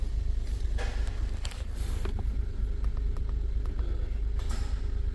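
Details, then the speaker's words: 2011 Honda Pilot 3.5 with code P0302, towed in running terrible: the idle stumbles unevenly, about three beats a second; the misfire moved from cylinder 2 to cylinder 1, confirming a bad spark plug. "and cylinder number two is actually cleared up see that okay so just a bad spark plug"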